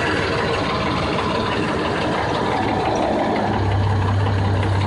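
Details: 1989 Jeep Cherokee 4.0L I6 after mechanical clutch fan delete with shorter serpentine belt: steady, even idle with a low smooth hum, no ticking, squeal or belt chirp; alternator charging, running healthy.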